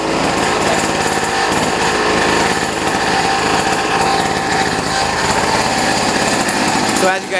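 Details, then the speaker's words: Boreem Tankman scooter, just got running after starting trouble (choke may need work): harsh buzzing small engine with uneven chopping beats and metallic rattle, stumbling now and then; runs and drives but misfires and rattles. "can hear it's kind of like rattling you get it's it's kind of misfiring but uh it does run it does drive too"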